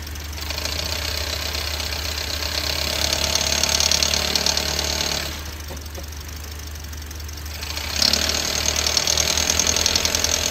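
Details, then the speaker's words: Running car engine with loose, rattling clatter about three knocks a second, like a loose bolt, with the engine visibly shaking hard, caused by failed, worn engine mounts. "این صدای تکتک مانند تقریباً شبیه پیچیه که در واقع شل شده و صدا میده که شما اگه به موتور خودرو هم نگاه کنید می‌بینید که موتور دارای لرزش و تکان‌های نسبتاً شدیدیه"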